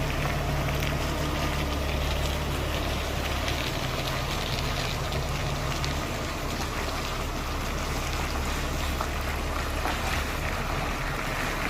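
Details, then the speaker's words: 2012 Kia Mohave with 277,000 km driving and turning after repair: steady road rumble and tire hiss with no more ticking, the underbody tick cured by removing the hub spacers. "이제 소리가 안납니다이 작업을 어제 했는데 오늘까지 소리가 나지 않는 것을 보니 성공인 것 같습니다"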